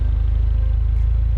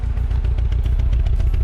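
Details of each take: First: 2009 Mini Cooper Clubman S turbo at the exhaust after the faulty coil was replaced and the check engine light cleared: steady, even low pulse at idle, no misfire. Normal exhaust note. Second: 2009 Mini Cooper Clubman S at idle, heard at the exhaust: a lumpy beat with a missing pulse, shaking as if running on three cylinders, with a cylinder misfire code. Coils are possible, but an internal fault is suspected.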